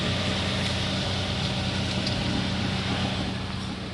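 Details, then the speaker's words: Toyota Rush with customer complaint of front-wheel noise when steering, listened from underneath while wheel turned left and right: steady idle hum, no clunks or grinding — normal steering. "Wala akong narinig mga bossing negative."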